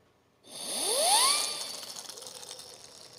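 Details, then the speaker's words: Leaking dishwasher under repair: the injector, a small pump-like part, is tested by blowing into it; a breathy rush with a rising whistle as the rotor spins up freely, showing it turns well. "elle tourne bien on entend bien qu'elle tourne et donc ça c'est un test qu'on peut faire aussi avec la bouche voilà tout simplement"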